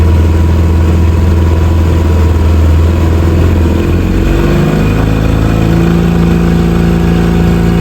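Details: Outboard on a newly bought used Gheenoe, maiden voyage, reenacting the stall: low even putter at idle, note shifting around four seconds as it drops to neutral, then settling smoothly with no stumbling; it had earlier died in neutral.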